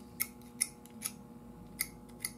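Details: Philco tube radio during restoration: sharp, irregular crackles and ticks over a steady low hum as the tube is wiggled; owner suspects a bad tube socket, not confirmed.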